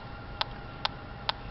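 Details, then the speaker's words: TIF 8900 combustible gas detector at the furnace gas line in a 4th-floor townhome HVAC closet: slow, evenly spaced resting ticks about twice a second over room hum. The lower connection reads nothing, which is normal with no gas present. "We're testing the gas line here at the furnace. You can see the reading at the lower connection is nothing, normal."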